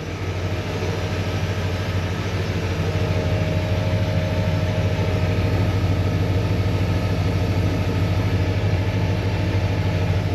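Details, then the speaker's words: Chevelle with a mostly stock Vortec small-block Chevy V8 and small cam, just restarted and burning off old gas, oil pressure high: deep, steady rumble with no ticks, knocks or stumbles, masking the fuel pump noise. Normal idle. "Now that there's a lot of ambient noise of combustion engine happening, the fuel pump is not as noisy."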